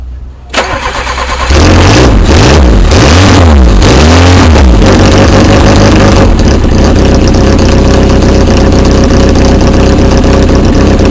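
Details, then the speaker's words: 1.1 Peugeot 106 first start after head gasket replacement, downpipe bolts not yet tightened: cranks, catches and revs, then loud lumpy uneven idle with one cylinder dropping out; misfire. "indeed I did forget something and I do have a Miss fire"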